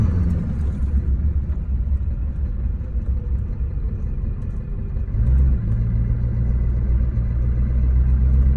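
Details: 2003 GMC 2500HD with LB7 6.6L Duramax diesel, bought from Copart: deep, uneven, lumpy rumble at idle that climbs when revved; bad injectors, all eight later replaced.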